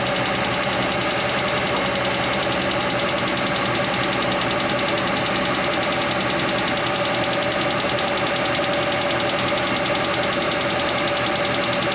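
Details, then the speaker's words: Chevrolet Nova straight-six, running with rocker cover off: fast light ticking at roughly three or four a second over steady idle from the top end, traced by stethoscope to one loose rocker arm nut; tightening it made the engine quiet. "I tightened it up while I was running, and it got quiet. I put the stethoscope on each stud, and that one I felt like it was ticking, like the other ones weren't, and I tightened it up, and it got quiet."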